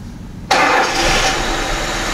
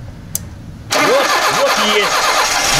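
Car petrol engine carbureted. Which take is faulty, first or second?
second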